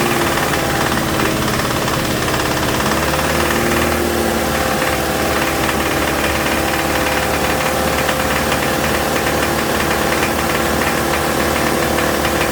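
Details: 2007 Toyota Tacoma 2.7 four-cylinder held at raised rpm from the cab during injector-kill tests: heavy steady lower-end knock, double knock when cylinder one is cut; teardown found a spun connecting rod bearing. Cold-start timing chain rattle also noted.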